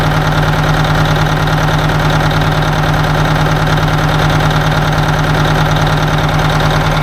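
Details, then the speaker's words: 1980 Peterbilt 359 Detroit Diesel at idle, back one real cold, owner thinks the dead one is on the other side: heavy lumpy, uneven beat around two a second; dead-cylinder misfire, oil pressure okay. "she definitely down a hole I don't know which hole back one's real cold I'm thinking the other side"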